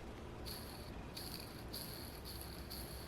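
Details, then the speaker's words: Low-time ball bearing removed from an OS 61VF RC engine, spun by hand, gives faint high chirpy rasping bursts instead of running silently; still rotates well but needs refurbishment, being replaced with Boca bearings. "You can hear even though this is a low time bearing. I think you can hear the sound it's making. Now, it shouldn't make any sound at all."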